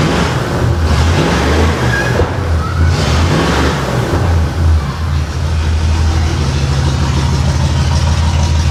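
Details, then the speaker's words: 1989 Pontiac Trans Am GTA V8 after two swapped plug wires were corrected; starts faster and runs its best yet, but the heavy, loping idle shows several cylinders not firing. "don't think it's running on all of them though. It's the best it's run though. And it fired up faster."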